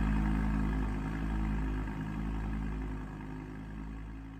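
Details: Audi R8 Spyder V10 on ignition and idle with exhaust valves open: deep lumpy idle with uneven stumble about three times a second; misfiring at idle.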